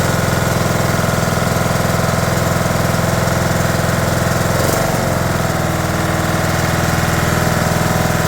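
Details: 2011 John Deere D110 mower, engine reassembled from boxed parts, restarted off choke, throttle cable not hooked up, expected to smoke: steady even single-cylinder beat about 3.5 pulses a second, no knocking or misses; runs good.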